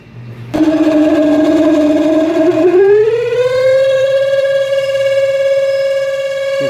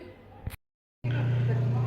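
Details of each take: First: Samsung twin-tub washing machine, spin side near the motor: loud steady squeal rising in pitch as the spin basket speeds up, from a dry basket shaft and seal. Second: Samsung twin-tub washing machine, spin basket removed, spin motor running: click, pause, then steady low hum with no more squeal; normal spin motor run.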